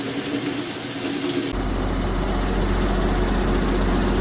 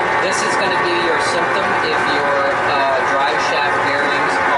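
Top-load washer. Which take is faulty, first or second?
second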